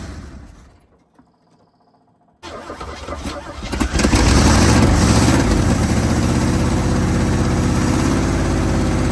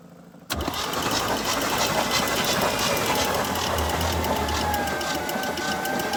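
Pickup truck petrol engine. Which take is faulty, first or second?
second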